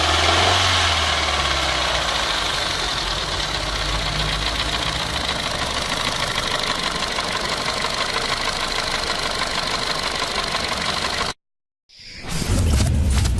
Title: Bruit moteur clio2 Phase - صوت غير عادي فى محرك رينو كليو